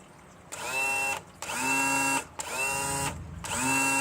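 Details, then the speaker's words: 2000 Johnson 115 outboard, twin-engine setup, on the engine that had been fine: power trim won't lower. Four short, steady, unloaded electric whines about a second each: the motor spins but the unit doesn't come down; low hydraulic fluid suspected. "Now all of a sudden, this sucker doesn't want to go. I don't get it. What is going on? Why doesn't it want to come down?"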